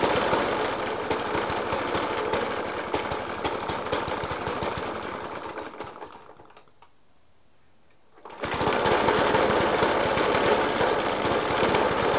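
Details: Suffolk Punch 30S lawnmower (1991 era) with Dellorto FCH 20 carb: harsh hammering idle, about three and a half bangs a second, briefly dropping away then returning, after spark plug change, decoke and carb clean; cause unknown.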